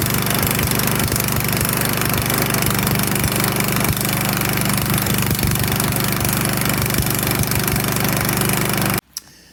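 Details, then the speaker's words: Sears/Craftsman 22-inch self-propelled push mower (917.378170): small single-cylinder buzzes steadily and fairly fast, then abruptly cuts out; the carburetor needle leaked and quit working, taken back apart to clean. "updates the craftsman self-propelled has failed it leaked this uh needle decided to quit working and took it back apart to clean it"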